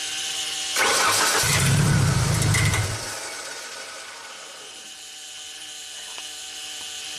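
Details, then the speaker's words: 1999 Genie Z45/25J lift, Ford LRG-425 four-cylinder fuel-injected engine, electronic throttle fault after prior repair attempts: catches and runs rough about two seconds, then dies; throttle body shows no response, so it won't stay running. "And shut it off, turn it back on. Go ahead and start. Okay, I see absolutely no action on our throttle body. Interesting."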